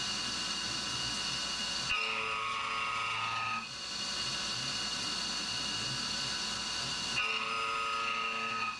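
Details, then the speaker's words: CNC roughing of AR15 gas block: thin high-pitched singing over the cut, end mill chatter at 1900 rpm, worse when briefly reset to 2125 rpm; dropping to 1700 rpm sounded better. "it's still a bit chattery so 2125 would certainly be more chattery and i actually uh reset the override later in this program just for a moment you can hear how bad it sounds"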